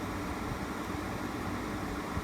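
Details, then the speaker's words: Frigidaire 8000 BTU R22 window air conditioner from about 2008–2009, after fixing its shaking, compressor running: steady fan rush dominates over a faint low compressor rumble, slight vibration, no rattle, still about 67 dB at roughly three feet. "we're still at 67 decibels so i mean there's a little bit of vibration i can you know hear it just a low frequency kind of compressor rumble but it um the fan noise is still the dominant noise"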